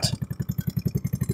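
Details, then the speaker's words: 150cc GY6 scooter idling after a wheelie attempt: low single-cylinder putt about ten beats a second, the idle briefly dropping; cause not clear. "hear how the idle dropped down for a little bit? She's not having it."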